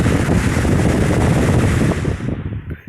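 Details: Lakewood 20-inch three-speed box fan, late 1990s or early 2000s, serviced, running on high: loud, steady airy rush with no ticking or scraping, then switched off and winding down; runs smoothly.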